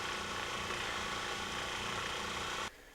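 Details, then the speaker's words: New replacement RV trailer water pump (an older FlowJet replacing a worn 40 psi SureFlow with squeaky bearings), test-run before mounting: even, quiet hum, then a clean shutoff; normal pump run. "You guys gotta hear how quiet this puppy is. Nice."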